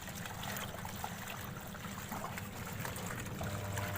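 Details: Washing machine after replacing motor capacitor (wash tub wouldn't turn, motor weak but humming, spin tub fine); steady low motor hum under sloshing water, wash cycle running normally on test.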